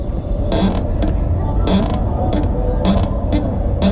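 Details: B-Twin Triban 520 road bike after 500 km: sharp dry creaks in bursts about twice a second over steady road hum, in time with the wheel; source unclear, rider asks what it is, suspects cheap front brake after cobble and pothole hits.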